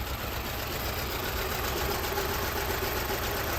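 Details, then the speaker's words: 2007 Audi A4 B7 S-line, a cheap auction car that arrived with a flat battery and reportedly not running, started after a battery replacement. The idle is uneven and lumpy with an irregular chuff of about three to four beats a second, seemingly on only two or three cylinders. Misfire cause undiagnosed. "now we've got a vw beetle sounds like we're only running on two maybe three cylinders"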